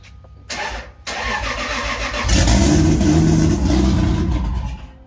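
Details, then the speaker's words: 2JZ-GE (non-VVTi block, VVTi head) swapped into a 1995 240SX, first start on a new Ecumaster ECU read by wideband: cranks, catches, runs rough and lumpy, then sags when given gas; super rich mixture. "i give a gas no it's super rich okay okay do it again"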